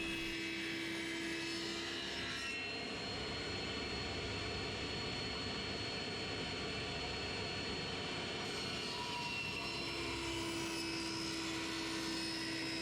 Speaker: The whistling that you can hear before I actually fire the saw up, or while the saw is not running, is the dust extraction system sucking air around the blade.